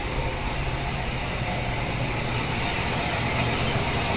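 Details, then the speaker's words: S10 Blazer Vortec V6 idling after replacing the ignition coil that had been leaking current and causing a rough, shaking misfire: steady, even idle with no stumble, vibration or knocks, repaired and running normally. "aqui funcionando não tô ouvindo não tá vibrando nem nada"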